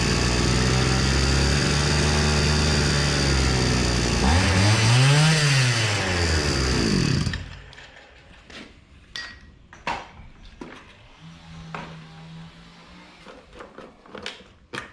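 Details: Hyundai two-stroke brushcutter: revs steadily and cleanly with crisp throttle response, then dies as the fuel tank runs dry; normal running.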